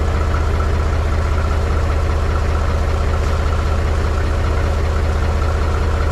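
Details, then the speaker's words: Mahindra 3525 diesel tractor, cold start at 18–19°F after about 1.5 months unused, low battery boosted with a jump pack: heavy, low chug with a slightly uneven pulse; rough cold idle that smoothed out after a few minutes. "she's definitely cold this morning she doesn't like too much"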